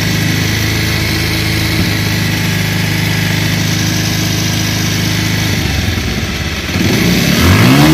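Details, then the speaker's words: Old second-hand Bajaj Pulsar whose noise worsened when the engine got hot, despite earlier valve, timing chain and balancer work. A coarse metallic rattle at idle grows louder when revved. Worn cylinder and weight (crank) bearing, fixed with a new cylinder. "আর আপনারা যে সাউন্ডে শুনলেন, এখানে দুইটি সাউন্ড ছিল, একটা হলো সিলিন্ডার, আরেকটি হলো ওয়েট পেনিয়ামের।"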